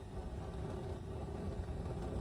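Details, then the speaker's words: 1994 Whirlpool SF387PEYQ4 CleanTop gas oven set to bake 350 after replacing failed ignitor (Robertshaw 41-209): igniter glows, safety valve opens, burner lights with soft steady low rumble, no popping or delayed ignition; normal operation. "Hear the safety valve open, and the burner lights right"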